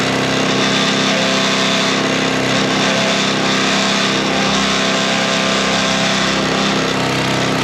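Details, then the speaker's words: Sweepster TR-48 sweeper's small single-cylinder gear-reduction engine running during repair test: steady, even buzz, no knocks or misses; healthy and smooth. "This is the motor. It's got a special gear reduction on it. The motor runs great."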